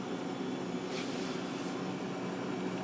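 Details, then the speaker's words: Refrigerator that had stopped cooling and was ticking, after a new relay was installed with the old overload kept: the compressor runs and the condenser fan gives a steady, even hum with a soft airy rush, working normally. "feel it the fan is on which it should be to draw hot air away and evaporate water and he should collect during defrosting"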